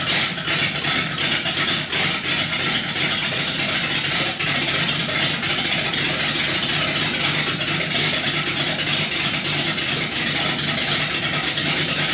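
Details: 318 engine built for a deliberate rough idle with raised compression (Keith Black 6cc domed pistons) and a Comp Cams camshaft: choppy idle with a steady loping beat of about three per second.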